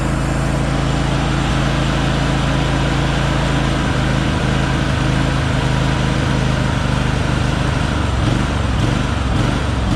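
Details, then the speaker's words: John Deere LX188 riding mower just after first start of the season, cold; loud drone surging and hunting unevenly, lopey like a cam; runs rough, not yet warm, cause unknown. "It revs like it's got a cam in it. Sounds cool, but it doesn't run very good like that."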